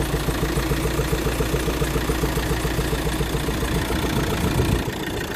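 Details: Volkswagen Crafter 2.0 16-valve diesel with a possible timing problem, idling then throttled with a heavy regular thudding knock, about three to four a second, before shutdown. The oil is jade green. Engine knock.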